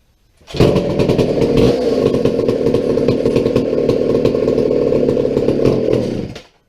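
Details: McCulloch 797 123 cc chainsaw, sat unfired for years, fitted with a fuel system and filter: fires and holds a steady, even high-revving buzz about six seconds, no stumbling or surging; healthy running.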